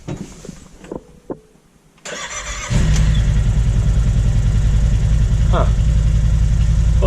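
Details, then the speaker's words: Wolverine X2/X4 850 with Elbow Racing tune, after swapping NGK plugs for iridium at 2200 miles, started after the fuel pump stopped buzzing on a slightly warmer day: short crank catches at once into a steady even idle. Normal start, no stall. "actually seems to have worked so it's a little warmer than the last test"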